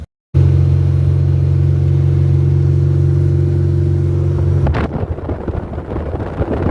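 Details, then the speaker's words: Aircooled VW Baja Bug engine that overheated on one side and threw grease: starter spins with an even low whir, no compression chuffs, engine not turning at all; diagnosed as a broken crankshaft. "It's not turning at all. You broke the crank."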